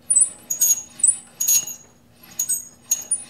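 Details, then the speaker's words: Motor bearing squawk on a G0602 lathe's stock motor, running with drive belt off: irregular high-pitched chirps and squeaks over steady hum; spindle and countershaft run smooth, so the dry, failing motor bearing is the source; motor being replaced with 3-phase for VFD. "if there's any doubt it's definitely the motor that's at issue here"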